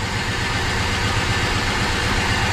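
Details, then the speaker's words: 1973 Dodge Dart Sport at idle after head work, firing order checked correct: lumpy, uneven idle with a missing beat each cycle. Cylinder seven has spark but shows no drop when its lead is pulled, and the neighbouring cylinder also seems affected, so it is a dead-cylinder misfire. "this is number seven nothing it is sparking but it just got nothing just to show this is the one next to it it's definitely affecting it right there"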